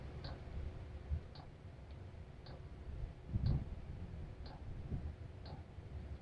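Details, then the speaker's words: Cheap Chinese diesel heater at a cabin, restarted after burning about 4.5 L of diesel overnight. Quiet sharp fuel-pump ticks about once a second over a low rumble as it fires up and the exhaust warms; pump is dosing normally. "sounds like it's fired up now starting to feel some heat on the exhaust that's good there we go sounds like it's going good now"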